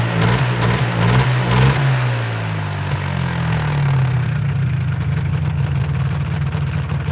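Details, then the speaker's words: Polaris 400L two-stroke ATV with aftermarket carburetor, needle and fuel screw already adjusted without improvement: revs roughly then sags and stumbles, lazy throttle response; also dies while riding. Poor throttle response and bogging, cause not pinned down. "Yeah, it sounds like it's got bad response here."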